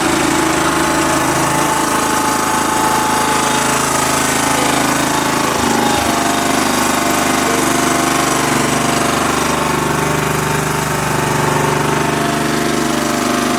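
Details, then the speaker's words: Kubota riding lawnmower engine, revived after sitting years since it made a horrible noise and shut off while mowing, runs loud with a rough, uneven clatter two to three times a second; owner suspects a slightly bent valve, calls it a lifter tick. "Well, it doesn't sound great because that valve, I'm pretty sure, is bent a little bit. But it runs, and it runs pretty good."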